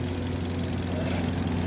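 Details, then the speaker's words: Hyundai Grand i10 (2025 model) idling after complete engine overhaul: steady even low hum with no knocks or ticks; running quiet and healthy. "Ganda. O, yan, ang bagong overhaul."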